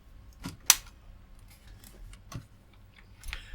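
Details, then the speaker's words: Powering up Giatsu 3DDC mini split air con controller board (error F4, fans run, no heat or cooling): three crisp relay clicks over near silence, red LED on, board running; relay clicking on power-up. "this way up you clearly he a couple of relays clicking that pretty much tells me that thing is running"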